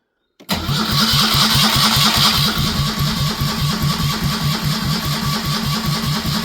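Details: Citroën 2CV after an engine swap, cranked to prime oil pressure. Steady, even cranking pulses without firing, the beat freeing up slightly as pressure builds. Normal priming crank.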